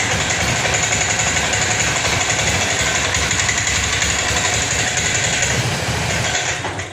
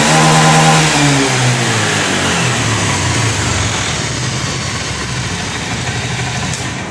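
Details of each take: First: Honda Scoopy injection automatic scooter: uneven, sputtering idle with a ragged stumbling beat; the engine dies when throttle is opened. Fixed without replacing parts. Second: Honda Scoopy injection automatic scooter after cleaning a dirty injector, which had caused rough running and stalling when throttled: engine rises cleanly from idle through a smooth rev and settles back without stumbling; problem fixed.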